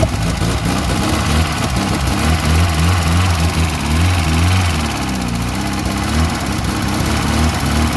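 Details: Classic VW Scirocco Scala after sitting 6 years catches and keeps running as throttle is worked, revs swelling and sagging; stale engine coaxed to life, oil smoke smelled afterward.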